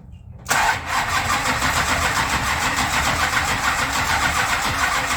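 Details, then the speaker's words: Plymouth Road Runner sitting a year after engine overhaul, carburetors corroded since cleaning: starter spins the engine at an even, steady rate with no catch or firing. Crank-no-start pointing to fuel starvation. "No. No. I had these carburetors perfectly clean, and corrosion just ate the crap out of this stuff."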